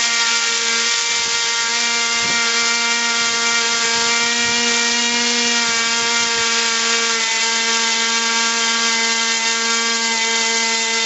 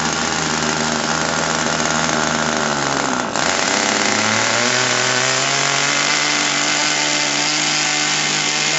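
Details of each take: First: RC airplane glow engine at full throttle after mixture adjustment: steady piercing high whine, even pitch, no surging; a high-and-low double pitch means lean, backed off to correct mixture. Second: RC airplane glow engine at wide-open throttle: high whine over a low rumble, a double pitch that steps higher; running two-tone on a rich needle.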